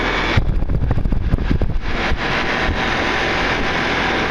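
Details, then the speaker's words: York LSU Affinity 12 SEER R22 condenser, first start after condenser fan motor replacement; brief startup rattle, then a steady fan and compressor drone in the wind, better than before the repair; normal running. "Alright guys, here we go. That's better. It even sounds better than it did the other day."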